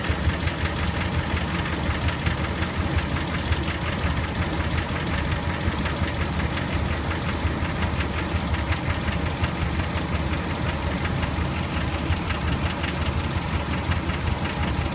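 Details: 2003 Dodge Ram 1500 4.7 V8 at cold start with a fast, steady ticking knock, loudest on passenger side, fading to light tick when warm; owner suspects broken exhaust manifold bolt, possibly lash adjusters or timing chain; unconfirmed.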